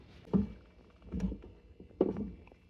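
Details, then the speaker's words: C5 Corvette driver-side lower door hinge, with its spring and roller pin, at about 95°F: the door swings with dull pops and short woody creaks; it is worse when hot, lube helps only a little, and the hinge is due for replacement. "I don't know if you can hear that kind of creaking and popping when it's really hot it's not too bad it's about 95° right now but um it drives me insane"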